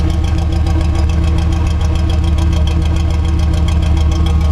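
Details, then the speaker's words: 1973 Chevrolet C10 short bed at idle after a split fitting that was letting air in was replaced: even idle with steady low rumble and regular firing pulses, no misfire or skips. The engine now runs cleanly. "listen to this thing like it's way more consistent it doesn't misfire or miss at all it's all there and it sounds really good"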